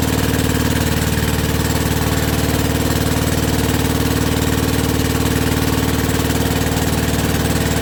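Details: WW2 generator petrol engine after rebuild, first start on original piston with about quarter choke, petrol tap leaking. Steady even low thrum about two beats a second, no knocks or stumbles, not smoking even warm; normal idle.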